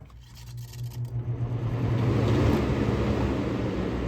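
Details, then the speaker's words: Early-2000s Holmes HABF-25 box fan spinning up: low rumble with scraping rub building with speed as the blade hub grinds against the front grille when pushed in, also happens on high; spacer bolts between grille and frame were used; hub rubbing on grille. "Like, I'm pushing it in, barely pushing it in, it's grinding up against the grill. And when I turn it off, this is what you hear."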